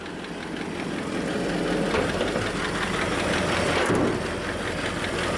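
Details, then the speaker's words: 1927 Elcar engine on a first drive, oil pressure about 45 and settling lower when warm: light fast lifter ticking, about four per second, over a soft idle; it likely needs valve adjustment, with no smoke or coolant leaks. "you can hear some lifter staff and I'm sure it's gonna meet some valve adjustment but otherwise it's running really good absolutely no smoke no leaks in the water and the cooling system"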